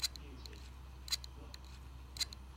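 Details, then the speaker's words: Hard drive from an old broken pink Dell laptop, plugged in over USB; faint sharp ticking in repeating clusters about once a second, no spin-up hum; the drive is not rotating and still fails to work; click of death with platters not spinning. "So the problem was that the hard drive is not rotating, so I figured how to get it rotate, but this thing does not work."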